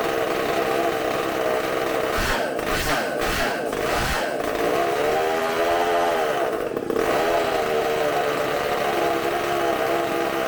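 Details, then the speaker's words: Bench test of a supercharged McCulloch two-stroke chainsaw engine, carb cleaned and new gaskets, running off tank fuel: loud steady high-pitched buzz at high revs, a few brief dips, clean and even; sounds fantastic, running strong. "All that fuel that fast. That sounds fantastic."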